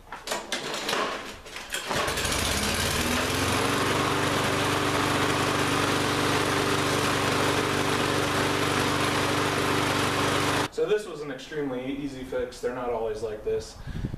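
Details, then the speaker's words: Lawn-Boy mower that wouldn't start this season, running with the air filter off: fires and settles into a steady, even drone with no surging or misfire, then cuts off; normal running. "so so far it's running pretty good now this is all just in a couple minutes"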